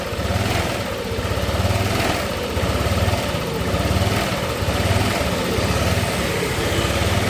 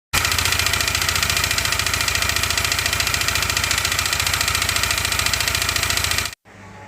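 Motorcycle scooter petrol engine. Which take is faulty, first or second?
second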